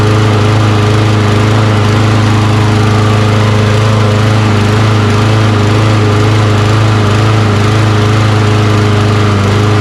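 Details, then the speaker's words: Toro Recycler mower, Kohler XT675 single-cylinder, hot, after carburetor cleaning and old fuel injector cleaner added to stale gas: steady even beat, no surging or misfire; still hard to start. "so there you go a little bit of old fuel injector cleaner rejuvenated that fuel a little bit and let it run a little better"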